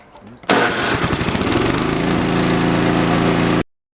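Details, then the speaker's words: Toro 521 snowblower, dad's old machine sitting 10+ years, started after fitting an Amazon replacement carburetor: fires at once, stumbles briefly, then settles into an even steady chug before shutting off; runs healthy. "I can't believe how fast that started up all right well let's go try it see if the rest of it works"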